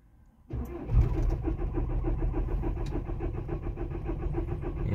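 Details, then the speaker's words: Diesel T5 cold start in the morning after sitting overnight on level ground: the starter cranks steadily at about 3.5 compression beats a second but the engine does not catch. The owner suspects air in the fuel system. It starts after a pause and further attempts. "пробуем второй не пошёл после паузы ещё два раза пробовал завести и завёлся"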